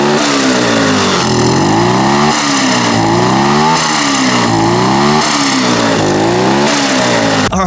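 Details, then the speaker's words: Turbocharged 150cc go-kart engine with a very small turbo and crude dump pipe, free revving: repeated rev and drop, each lift-off followed by fluttering chatter from the turbo; normal flutter, the intended sound of the setup. "So, the goal with this new turbo setup was to get turbo flutter and have a really cool sounding limiter"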